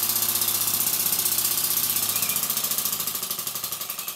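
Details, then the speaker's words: Stuart S50 model steam engine (5/8 in bore, 1¼ in stroke) at "warp speed" on compressed air from a Bambi BB50D compressor: rapid, crisp exhaust puffs around ten a second, slowing slightly at the end. Normal high-speed running. "and here we go an s50 at warp speed"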